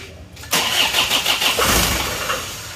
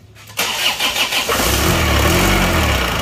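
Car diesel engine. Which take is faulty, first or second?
first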